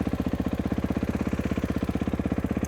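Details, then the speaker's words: Kawasaki KX450 with a Rekluse Radius CX auto clutch, warmed up, free play gain correctly set: steady, even idle with no slipping, dragging or rattling, showing a proper setup. "i got free play games set i know it's going to work perfect the way i have it set up right now so this is an example of what i would expect with a proper setup"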